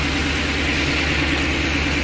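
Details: 2009 Ford E-350 with 5.4 V8, no codes, earlier high idle and stalling from a throttle body problem: steady low hum with even firing, no hunting or surging; normal smooth idle.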